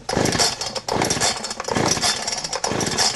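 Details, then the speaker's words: Warm chainsaw kept on choke after its false-start burp: repeated rough pull-cord bursts about once a second, no firing; engine flooded from pulling on choke. "okay I can pull and Pull and I've flooded this saw all right"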